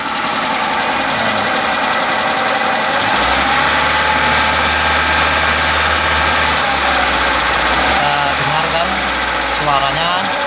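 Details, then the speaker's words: Hyundai Atoz engine revved by pulling the throttle cable at the front of the engine bay next to the injection unit: even running that climbs smoothly to a higher steady hum, then settles. Sounds healthy. "bertambah keras ketika saya tarik ke atas. Posisinya adalah di sebelah mesin injeksi."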